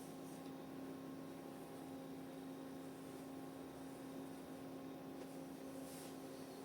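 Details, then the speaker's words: EUHOMY 12V Bluetooth compressor fridge freezer pulling down temperature, at its loudest while cooling: quiet, even compressor hum on one steady low tone, no rattle or cycling; pretty much silent, healthy. "But as you can hear, I'm going to be quiet for a minute and you can hear how loud it is. And this is obviously cooling down, so this is as loud as it's going to get."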